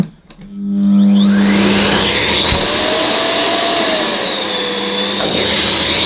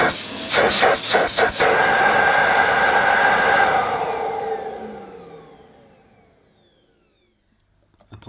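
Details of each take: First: Ufesa Zelmer 4-in-1 vacuum's suction motor in wet-extraction mode, pump off, small head on rubber-backed carpet: steady roar whose pitch wanders as the motor cuts in and out because the carpet blocks the nozzle. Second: Ufesa Zelmer 4-in-1 vacuum at its first switch-on, hose not attached, power level uncertain: clicks, then a loud, steady rushing whine that winds down smoothly, mostly inlet noise, healthy and powerful.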